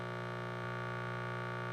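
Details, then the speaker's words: APC Smart-UPS 1500 fed inverted power from the second Outback Skybox inverter while off grid: constant fixed-pitch electrical buzz; normal on the other Skybox, so the owner suspects Skybox 2 is faulty. "when I run it off of Skybox 2 this is the background sound that I get it's quite annoying and it helps confirm that something isn't working right with one of my sky boxes"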